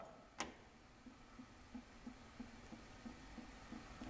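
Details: 2008 Chevy Silverado 4.3 V6 with rough running and emissions codes: one sharp crisp click as the EVAP vent solenoid is commanded, then faint ticking; smoke test confirms the solenoid closes and vents properly.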